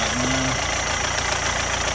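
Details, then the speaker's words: Rover 75 diesel after DIY crank pulley replacement, briefly run before belts refitted: steady even diesel clatter at idle, no misses, knocks or surges; sounds normal. "it does sound okay that does look like he's running normally from what I know anyway"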